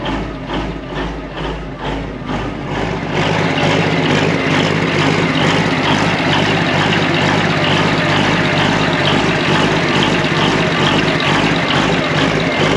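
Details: Old excavator abandoned for years, with two new batteries fitted: slow, even diesel cranking pulses for about three seconds, then it catches and settles into a steady, deep idle. Diesel engine cranks and starts.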